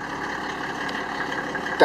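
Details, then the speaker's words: Land Rover Defender fitted with a Mercedes-Benz OM606 3.0-litre six-cylinder diesel and automatic conversion, idling; muffled, steady, even hum with no knocks or misses, then handling noise. Normal idle. "so if you're thinking that doesn't sound like a normal land rover you're right it's a three liter six cylinder mercedes benz"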